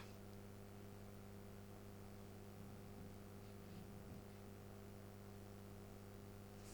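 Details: Philips 138 Mistral Four valve radio, wax caps and 3 resistors replaced, original electrolytics kept, first power-up at 180 volts with clicks and burning-dust smell: only a low steady mains hum with faint hiss, no programme sound.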